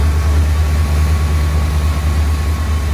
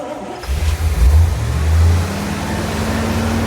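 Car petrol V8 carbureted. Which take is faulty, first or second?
second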